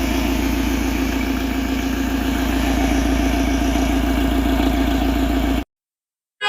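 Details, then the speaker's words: Mahindra XUV500 diesel that would not start after an engine rebuild, now repaired: it starts smoothly and settles into a steady, even idle clatter with a regular beat, no misses or knocks; normal idle. "तो यह normally start हो रहा है गाड़ी यहां पर smoothly start है"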